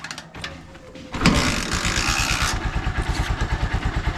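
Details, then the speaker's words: Honda Supremo, unused for three days, kick-started without touching the throttle: the single catches on the second kick, revs briefly, then settles to a steady, even idle thump. Healthy cold start, no hard starting. "So diyan niyo makikita mga kalab barkada na hindi siya hard starting kahit na na-stock na siya ng matagal"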